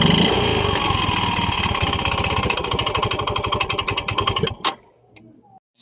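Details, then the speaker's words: Yamaha Mio i 125 scooter idling with a sudden loud, fast metallic knock about four a second over the exhaust note; piston slap and connecting rod sound alike, so piston slap is to be confirmed by disassembly. "tingin niyo guys saan kaya nanggagaling ang malaking ingay ng kanyang makina kasi magkapareho lang po ang tunog ng piston slap at saka connecting rod"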